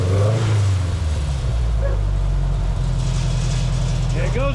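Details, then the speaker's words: Frankenbuggy's Volkswagen ABA engine after rebuilt, machined cylinder head reinstalled and retuned with idle air control turned off, warm with fans running: blips up, then drops back to a steady, even idle without hunting or stalling; healthy. "back down to idle. That's what we want."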